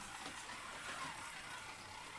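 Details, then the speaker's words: Policar slot car, one of four with the same motor, lapping on track: a thin steady high gear whine over busy mechanical whirr; the roughest, noisiest car of the batch, indicating manufacturing variation. "it's quite whiny that yellow one sounds a bit Saucy but they've all got the same motor in and that one is a little quieter running as well"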